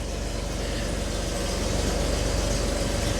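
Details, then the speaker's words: Jeep Wrangler after fixing a no-crank, no-communication fault; a crankshaft position sensor code is present: smooth even idle with a steady low rumble and no misses while warming up. "Key on. Yep, it sounds good. You got the fuel pump. Yeah. We'll let it run, warm up a little bit."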